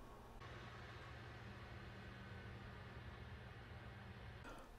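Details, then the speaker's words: Eight-to-nine-year-old PC after fixing the noisy power supply fan, running for some time: soft steady hum and airflow hiss, no rattle or whine; remaining fan noise from graphics card; fix successful. "the computer has been on for quite some time now and it's dead quiet from the fan of the power supply so I think this was a good fix"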